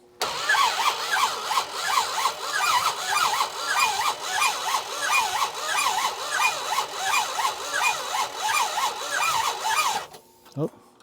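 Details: Barn-find Dodge Monaco that sat for decades, with next to no compression and rings thought stuck, cranked after the cylinders were blown out with air: slow, uneven, laboured cranking of about 90 turns a minute with no catch; seized bearings are also suspected.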